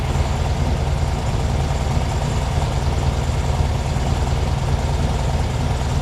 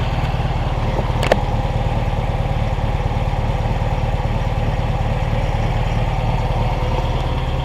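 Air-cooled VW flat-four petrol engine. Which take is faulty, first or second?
first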